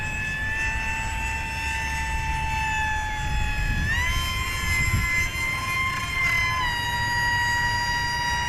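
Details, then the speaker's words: XF-7 electric RC plane under 1 lb on a 4S 2200mAh battery, nose heavy, in flight: motor whine with a shifting rasp that jumps in pitch. The ESC got warm, melted its hot glue and ate the three motor wires, and the plane crashed. "oh man that wasn't good that prop was making some strange noises"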